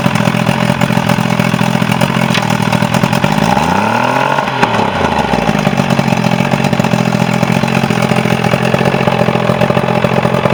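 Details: Quantum Mercury 90 outboard, previously a no-start, on its final run: steady, even idle with a brief dip in pitch midway, then recovers; no misses or knocking; normal idle.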